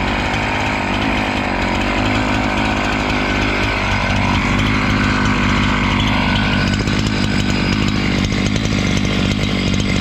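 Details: Husqvarna 268 two-stroke chainsaw, which stalled once warm and would not restart, cutting after air intake check: a high, steady scream as it bites into wood, no bogging or stalling. Normal cutting.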